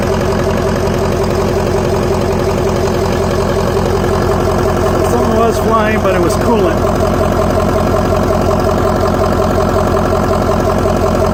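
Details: 2004 Ford F-350 6.0L diesel, just after installing a blue spring kit on the fuel filter housing to stop fuel leaks: steady, even idle with a smooth low beat, no misses or knocks; normal idle.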